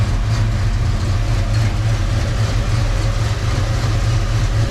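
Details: Foxbody Mustang V8 with bogging and hesitation, after many parts replaced, idling to relearn: a deep idle with an uneven, lumpy low pulse that never settles, smokes a lot; rough idle, cause not pinned down.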